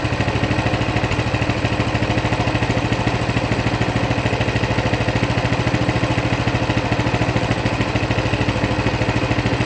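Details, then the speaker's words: Coleman CT200 mini bike, non-adjustable carb, throttle return spring off the throttle: steady, clean single-cylinder popping at about 1500–1600 rpm, near the 1700 target but fluctuating. The clutch isn't moving, so this is a normal idle. "so we're at 1600 so we're within 150 of the 1700 mark it's fluctuating quite a bit but there you go clutch isn't moving"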